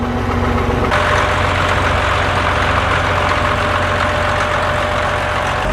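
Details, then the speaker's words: Caterpillar D7F bulldozer diesel, first start in about ten years, started within three seconds: loud, deep idle, smooth and even with no knocks or misses; normal idle. "Did you hear it? It sounded amazing. Like, I really didn't even expect it to start that easy. I just hit the key and within 3 seconds, it was running."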